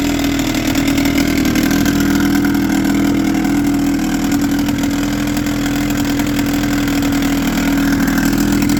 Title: 1996 25 hp johnson. came in for a no start. 1 timing adjustment later!